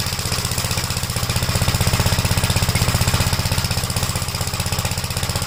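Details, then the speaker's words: 1956 Gravely L tractor single-cylinder engine on cold start, after head gasket change and valve adjustment: fast, hard chuffing with thumping, slightly uneven beat; runs rough and smokes on every start, smooths when warm; oil burning suspected, cause not yet found. "But every time you start it up, restart it, it smokes and it runs rough."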